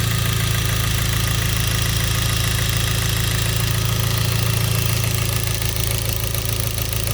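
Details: Hyundai Genesis 2.0T idling: steady even knock about three per second over the low rumble; rod knock from a spun bearing after oil pump failure starved lubrication, with no oil warning or limp mode.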